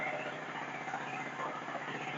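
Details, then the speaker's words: Storm Cat small generator after carb cleaning, new spark plug, governor anti-surge spring and capacitor, loaded with a heat gun to about 90% capacity: steady even hum, slightly struggling but running solid. "struggling a little, but it's it's running solid. It's uh doing what it should."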